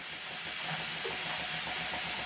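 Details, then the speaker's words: Minnie-type model traction engine gently test-run on compressed air: constant hiss of air escaping from somewhere near the cylinder over a faint beat; the regulator also does not close fully; compressed air leak. "there are two things wrong here that are immediately apparent one is the regulator does not close fully and the other is the constant air leak coming from somewhere near the cylinder"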